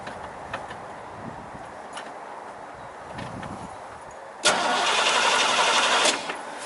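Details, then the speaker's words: Chevy 5.0 V8 with a low-power complaint, now a crank no-start: even cranking for about 1.5 s without firing. Spark confirmed and fuel pump heard priming, but the rail gauge shows no fuel pressure; tank must come off. "run wow but there's uh we have absolutely no fuel pressure"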